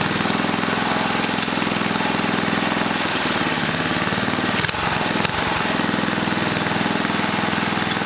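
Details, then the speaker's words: 1980 rototiller, small single-cylinder engine with manual choke: chugs, then speed sags and surges unevenly; throttle link suspected faulty, not confirmed. "something wrong with this throttle link i'm gonna move this handle up"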